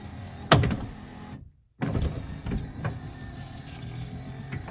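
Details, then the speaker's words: 1979 Lincoln Continental right front power window motor after the torque pin repair and taking up slack: short whirr, pause, then a smooth even run with light clicks and no grinding, much better than before. "way better than it was before we did the torque pans"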